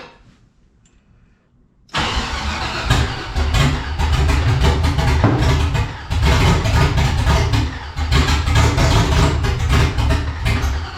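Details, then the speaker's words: 1984 Cutlass G-body, procharged LS swap on Holley Terminator X EFI: cranks, catches abruptly and stumbles unevenly with popping under throttle; owner suspects throttle body is too closed and starving it of air. "Oh, yeah, but we got to open up that throttle body, I think, because it's definitely not getting enough air."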